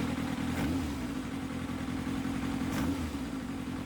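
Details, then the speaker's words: Kawasaki ZX7R four-cylinder engine warmed up for carburettor balancing: steady idle broken by two quick throttle blips that rise sharply and drop back, checking the true effect of adjusting carbs 3 and 4 before balancing the pairs. "You need to come away and blip the throttle to see what the true effect of that adjustment is."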